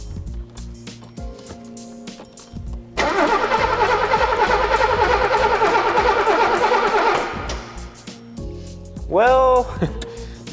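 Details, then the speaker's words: 1983 Mercedes-Benz W126 280SE after 10 years in a barn cranks evenly for about four seconds without firing; the lead from the distributor is broken, so no spark reaches the plugs. "not going to start right now cuz if you look here the cord from the um distributor and the fun Mar so that's broken"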